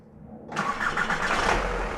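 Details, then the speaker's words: Skoda Octavia, start-up to idle: loose metallic rattling clatter as the cracked ceramic core of the catalytic converter has come loose and knocks inside its shell, loudest on starting or lifting off the throttle. "воно б'ється із-за того що кераміка в каталізатор це керамічні вона відстала вона трісла і вона б'ється знаєте"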